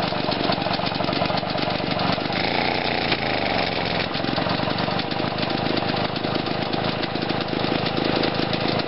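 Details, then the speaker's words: Lawn mower single-cylinder engine after fitting a new ignition coil and setting the timing; runs rough with sharp pops in the revs, backfiring out the intake. "i've just put the new coil in and i realized that you can actually set the timing on these engines which is pretty cool i think i've got it going but now when i rev it up it starts to backfire out the intake"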